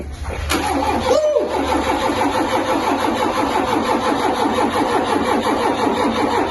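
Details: Mk2 Ford Capri 2.0 GT Pinto engine, not run for many years, carb just filled with petrol, first attempt: even, free cranking at about three turns a second for six seconds with no firing. Not seized, but cranks and won't start.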